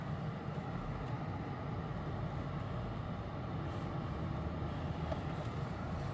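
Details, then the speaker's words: 2008 Lexus LS460 after replacing upper control arm assembly (aftermarket), which previously made noise even steering in place: smooth even road hum while driving, no clunks or knocks over bumps; suspension now quiet. "아까는 그냥 제자리에 해도 소리가 났 봤었거든요 뭐 들어보세요 지금 제 소리가 안나요"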